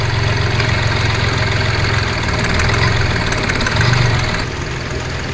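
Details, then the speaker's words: Car after replacing the accessory belt, tensioner and two idlers for a clicking noise: engine idles with a steady, even low rumble and no clicking or ticking from the belt area; problem completely solved. "இப்ப இந்த problem கம்ப்ளீட்டா சால்வ ஆயிடுச்சு"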